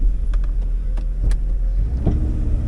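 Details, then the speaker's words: 2001 Jeep Cherokee XJ 4x4 driving after full brake rebuild: low rumble with irregular sharp knocks and clunks from up front; owner suspects the fan hitting the AC tube or the flex plate, possibly rotten engine and transmission mounts. "it's either the fan hitting that air conditioning tube or the flex plate I think all the engine mounts and the transmission mount might be a little rotten"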